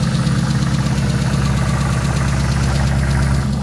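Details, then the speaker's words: Car under the hood: deep idle with light, quick ticking, plus a smell of exhaust; suspected exhaust manifold leak, while a separate groaning noise was blamed on the power steering pump. "so that sounds like an exhaust leak the ticking noise yes yeah kind of smells like an exhaust leak now too"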